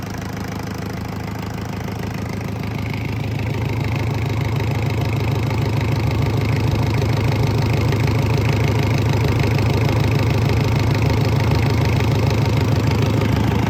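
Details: Isuzu C240 50 hp diesel for a sailboat, bench-run on first start after bleeding air from fuel, dry exhaust fitted; steady clatter at about three beats a second, even and gradually firming up; healthy idle.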